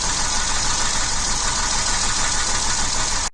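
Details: 2009 Jeep Wrangler Unlimited Sahara V6 with code P0302 idles roughly with a lumpy, uneven beat and vibration; cylinder 2 misfire from no spark at that ignition coil output, fixed with new coil pack and plugs.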